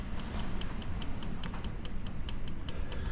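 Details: 2021 Suzuki DRZ125, engine off with the spark plug removed, set at compression top dead centre: a light sharp tick repeats as the rocker is moved, showing free valve lash. Spec is 0.003–0.005 in intake and 0.005–0.007 in exhaust; the intake felt snug.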